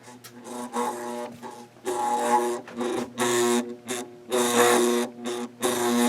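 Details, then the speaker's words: 1992 Bahama 52-inch hugger ceiling fan running on low: loud buzzing motor hum swelling and fading about once a second, much louder than it used to be; quieter on medium. "Motor was a little bit loud. I remember that but it's nowhere near as loud as it is now."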